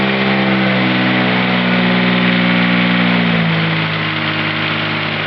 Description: This is my 1572 with Kubota diesel having a heck of a time starting.